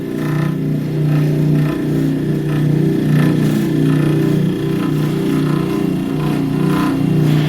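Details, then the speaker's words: Bryant/Carrier package unit, thermostat bypassed into cooling: loud, rough, steady lawnmower-like droning hum from the blower motor itself, frame not loose and unchanged when pulling on the mount; worn noisy blower motor, later replaced with pulley and belt. "Disconnect's on. There's a definite noise coming out of that motor. The frame's not loose."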